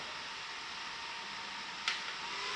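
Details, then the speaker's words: Titan TTC-SC60(B) roof ventilation fan in a caravan on its third speed setting: a steady, even airy whoosh that becomes noticeable, with no rattle or knock; the fan runs normally. "so that's the third setting where you really do start to hear a little bit of noise there"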